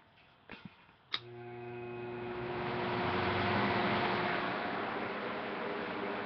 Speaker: you guys are going to hear what the um motor starts up and it sounds turns on it has a very nice hum to it